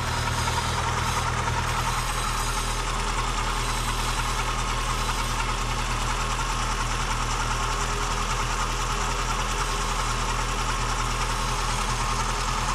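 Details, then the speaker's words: VW Golf 2 at steady idle, warmed up after cold 5–6°C night when it clattered loudly; now faint, fairly quick light tapping on top, much quieter than cold; valve clearance out of spec. "Là aujourd'hui elle claquait fort parce que cette nuit là... Ouais, il a dû faire 5-6 degrés. Donc là, tu vois, ça claque plus presque là."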